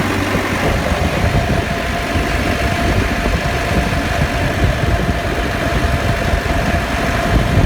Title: Defender diff whine/rattle/grinding noise after lift